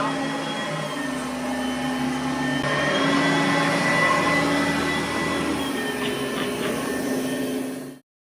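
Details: Oreck vacuum after replacing the belt that stopped it moving forward: steady, even motor hum with a clean whine, no belt slapping or squealing; vacuum now pushes forward and runs smoothly, normal running.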